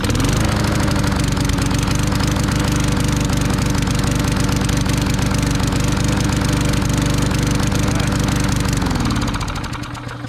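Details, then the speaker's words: Garbage-picked small single-cylinder lawn mower, thought to need a new carb: chugs at a fairly even speed with a heavy, slightly blubbery beat, then winds down; running rich. "it seems to be running rich what are you gonna do man maybe he's a spark plug queen who knows but it runs"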